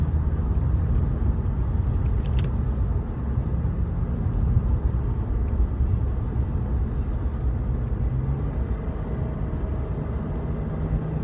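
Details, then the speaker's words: BMW E90/E92 on road after cleaning the VANOS solenoids for stutter: even, steady engine pull under acceleration with no stumble or hesitation over road rumble, previous stutter gone; smooth acceleration. "It's like actually running too smooth now. I'm used to it kind of giving me a little like a little stutter and now that it's just like perfect, I feel like I'm in a Prius."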